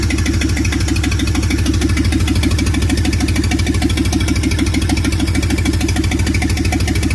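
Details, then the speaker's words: Replacement engine for 1947 Plymouth Special, sat since 1975: heavy lumpy chuffing idle with a strong repeating stumble about three times a second; plug wires on in wrong firing order; later found dead on three cylinders, 40 psi oil pressure. "you didn't move the distributor or nothing down there did you I just put the wires off in a little different thing"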